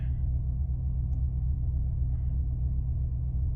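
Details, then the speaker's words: 2005 Maserati Quattroporte, 4.2 litre V8 Ferrari engine, warm with the fan just off: idle holds steady around 950 to 975 rpm; smooth, even low rumble with no knocks or misses. "Fan's gone off, revs have gone up slightly. We're staying around 950."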